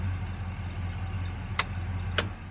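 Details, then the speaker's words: Chokeless carbureted engine on restart after shutdown: low fairly even idle rumble with a couple of stray clicks; close to right, needs a bit more carburetor adjustment. "let's see what happens when we turn around turn right back on let's see if i got her close what do you say here we go not bad"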